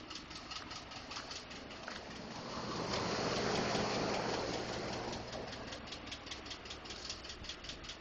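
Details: 2012 Ford F150 5.0 at steady idle: crisp, even tick about four times a second over the engine; source unknown, owner was told it may be normal noise from injectors or the fuel pump.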